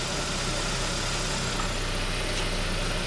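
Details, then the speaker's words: 2003 Saab 9-5 Aero that sat two years, just started after oil pan redone and refilled with oil, warming up: steady smooth idle hum, no knocks or ticks; sounds healthy, expected to smoke. "I have everything buttoned up, oil in the engine, and I'm gonna fire it up, see what it sounds like. Sounds really good."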